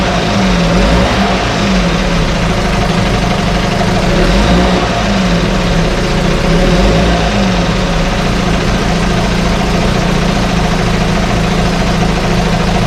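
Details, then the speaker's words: 1968 Evinrude Fastwin outboard in test tank, out of gear, no load, untouched, Sea Foam in fuel, no cold-start cough: steady even two-stroke burble, no misses or surging; normal idle. "every time we start it up and running it runs a little better i do have some uh seat balls mixed in this particular fuel tank and it just keeps cleaning things out this one doesn't even have a cold start cough to it or anything"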